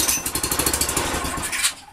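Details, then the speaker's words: Manco Dingo go-kart Fireball engine, first start after tank and carb swap, fuel line primed with carburettor cleaner: small single pops at a quick beat for over a second, then fades; the motor runs. "Alright. So right now, we know the motor runs. That's great."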